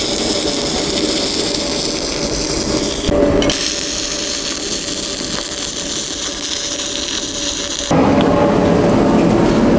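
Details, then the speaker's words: YesWelder MP200 multi-process welder (beta unit), stick welding with 7018 rod at about 90 amps; steady, even crackle and sizzle with a brief break, then the same consistent arc, smooth and stable, running better than 6010. "It actually does real good with 70-18."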